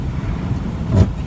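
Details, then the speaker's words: Nissan UD manual truck: deep engine rumble with a brief harsh grinding as a downshift is tried with too few revs; gear won't engage unless revs are raised, e.g. from 1100 to 1500 rpm. "So you hear it grinding. I'll do it again just to make the point. I'm going to under rev on the right foot. Won't go in."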